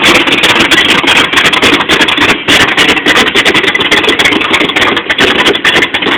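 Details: 1986 Chevy short bed V8 with a Comp Cams Extreme Energy camshaft, flat-top pistons and cast-iron 2.02/1.60 heads: a loud idle with an uneven, loping beat of about three to four pulses a second, hunting rather than smooth. Rough idle.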